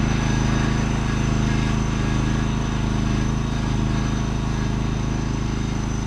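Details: John Deere LX186 riding mower, 17 hp Kawasaki engine with hydrostatic drive, test drive: steady low engine drone with no knocks and no transmission whine while driving, including reverse; runs and drives fine.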